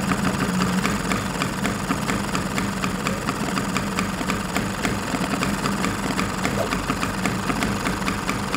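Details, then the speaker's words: Vespa PX two-stroke engine with the needle and emulsion tube already set and the mixture near 0.8–0.9; the idle sags as the idle mixture screw is turned in and rises again as it is turned out. "our case I was turning the screw inside the carburetor body and then on a certain point the engine speed was going down. Then I turned the screw out of the carburetor body and the engine speed rose again."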